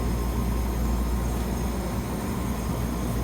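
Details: Freezer unit running after the original contactor was put back in, found to be fine: steady, even low compressor hum with no knocking, clicking or stalling. Normal compressor running.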